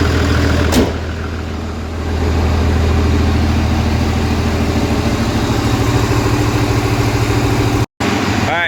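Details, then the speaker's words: Diesel truck with a new transmission, just fired after bleeding the injectors on cylinders one, three, four and five: steady, even idle rumble with regular firing, no knocks or misses; engine healthy. "all right one is now spitting see if she'll fire all that heuel gripping oh she's healthy"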